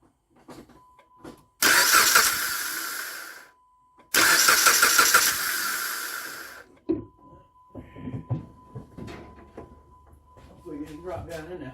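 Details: 2010 Jeep Compass no-start, after cleaning the throttle body with a throttle position sensor circuit high code still set: two cranking bursts of about two seconds each that spin the engine evenly but never catch.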